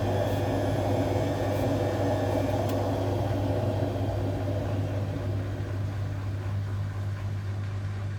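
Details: Hotpoint Aquarius WMA58 washing machine on a test spin: loud steady low roar with a gritty rumble from worn drum bearings; the machine was scrapped because of them.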